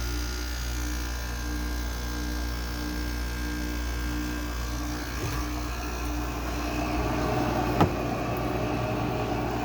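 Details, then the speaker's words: Goldstar WG5004 window air conditioner, low-charge compressor just started after sitting: steady hum with a buzzy, uneven drone; the owner suspects a lubrication issue, with oil not yet passed through the compressor, and says it happens only after sitting a while. "It really only does that when it's sitting for a while, which makes sense. Because then the oil hasn't passed through the compressor, really. That's a really annoying sound, though."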